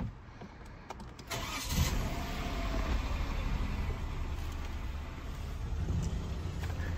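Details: Peugeot 208 1.0L/1.2L petrol, start after a PCV fix: starter whirr, then a steady, low, slightly uneven idle. It failed its emissions retest running rich, O2 sensors jumping, and the cause is still undiagnosed.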